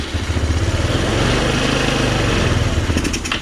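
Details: Chinese scooter sitting nine years, after more fuel was poured in and it began drawing fuel: little engine catches and putters fast for about three seconds, then fades and quits; starts briefly but won't keep running, idle may need turning up.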